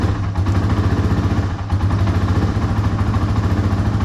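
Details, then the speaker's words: Yamaha 225XT single-cylinder dirt bike, not yet warmed up, hard to start; its carburetor is about to be removed and cleaned. An uneven, lumpy idle thump with a few stumbles. Rough running when cold, cause suspected, not confirmed. "So it'll, you know, just runs really rough right now. To be fair, it is still not warmed up, but you know, it should be doing a little better than that."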